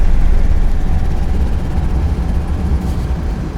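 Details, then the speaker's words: Mercedes-Benz GLS 580 V8 on the highway, on its first drive after repair, with one window lowered: heavy low helicopter-like throbbing about three pulses a second over road roar. Wind buffeting the owner says can sometimes be heard even with windows closed. "Something like this... There is a situation where the noise like this was so severe that you could hear it even when you didn't open the window."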